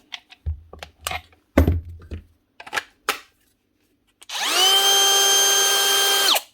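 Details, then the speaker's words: Second Dewalt DCW600 18V cordless trimmer after cleaning a dirty switch contact that wasn't making full contact: after some knocks, motor spins up fast to a clean, steady high whine with no grinding or rattle; fixed, normal running. "It actually was a dirty contact on the switch. Must have just been getting full contact inside."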